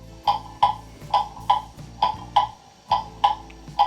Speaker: you can hear it's out of beat now it's an uneven tick and top